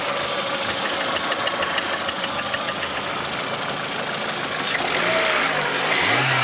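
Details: Lada Priora, 21126 petrol engine, revving: light, regular knocking of roughly three per second rides over the engine; source of the knock unclear.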